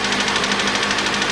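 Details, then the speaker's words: 2013 Mitsubishi ASX 1.8 petrol, CVT, FWD, 390,000 km, engine already replaced at 220,000 km, cold idle. Sharp, even knocks about eleven per second over a rough, shaky idle with misfire. Piston knock suspected; engine to be removed and opened. "стучит поршень Поэтому в любом случае надо вскрывать смотреть"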